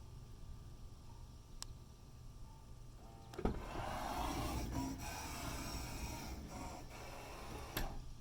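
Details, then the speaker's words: 2011 Toyota Sienna power sliding door: quiet at first, then a rough grinding rasp through its whole travel with loud clunks; no noise when opened manually or from the right-side door, owner suspects the motor or cable system; grinding noise. "I just bought this Sienna. The door is making a weird grinding sound."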